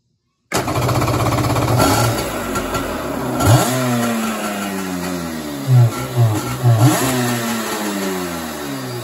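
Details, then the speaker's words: Kawasaki X2 two-stroke with choke on and plenty of fuel: fires and revs up in uneven surges, sounds good, then fades and dies; carb issue suspected, won't keep running. "fired up so that's kind of what it's doing it revs up sounds good then it dies"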